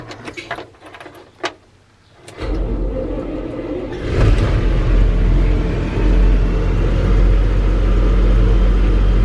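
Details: Massey Ferguson 40 combine (possibly 1996), sat 3 years, fuel system refreshed, seems to need the small clicking lift pump to run; a few clicks, then the diesel catches and settles into a steady, heavy low rumble that shakes the machine; normal running.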